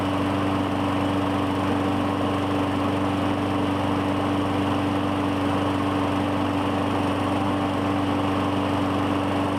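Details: 2017 Murray 21" mower, Briggs & Stratton 450E, after cleaning the clogged plastic carburetor's brass inlet: steady even drone with no surging, hunting or misses; normal running, no smoke.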